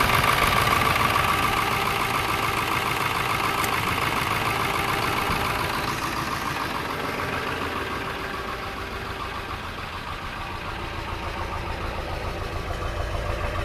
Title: 1999 F350 7.3 Engine Bay and Exhaust Smoke. Slight Engine Shake/Misfire